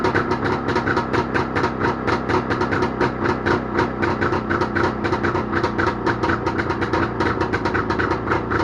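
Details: Jawa motorcycle two-stroke engine started after repair, with fast, even popping holding a steady rhythm, no skips or knocks; normal running.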